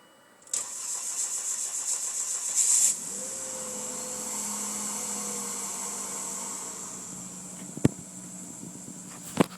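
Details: Volvo S40 T5 in cold weather: starter turns the engine over rhythmically for about two seconds but it never catches, leaving a faint hum afterward; cranks but no start.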